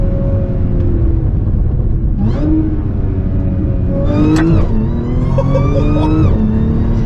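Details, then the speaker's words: Modified 2014 Audi S4 B8.5 supercharged V6 (aftermarket intake, pulley, exhaust), fire-damaged salvage car, under driving. Revs blip on each downshift with a clean rising supercharger whine over a deep, even exhaust note. Normal and healthy. "on downshift, that's killer. I love that supercharged noise."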